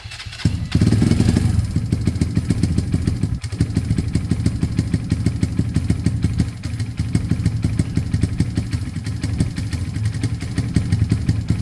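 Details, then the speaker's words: Kawasaki KSR GRS 125 single cylinder, second start attempt after fitting a new spark plug, with airbox refitted: catches after a brief crank and settles into an even, steady thump with no misses or knocks; running healthy. "that's sounded pretty good to me"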